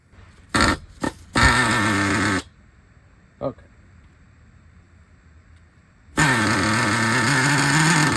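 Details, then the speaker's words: Used Traxxas Revo 3.3 nitro engine, very tight, glow plug loosened to ease starting; fires in short ragged bursts, dies, catches again and runs rough and uneven. Cause not confirmed. "there it goes okay okay that sounds all screwed"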